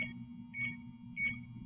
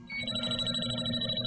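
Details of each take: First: JB Industries LD5000 Prowler refrigerant leak detector, warmed up, tip held toward the test vial's small sticker hole: short chirps quicken into rapid high beeping, about 3 to 4 bars reading, so the unit is working properly. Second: JB Industries LD5000 Prowler refrigerant leak detector, pendulum sweep going back ever slower and narrower: bright, rapid high-pitched warbling alarm as the probe tip pinpoints the refrigerant leak.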